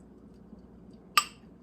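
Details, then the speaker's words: Jars of bacon ends and pieces just lifted from a Nuwave 13qt electric canner: one bright metallic ping in a quiet room as a lid pulls down. Canning jar lid sealing ping. "Oh, did you hear it? I need to quit talking. I heard it ping."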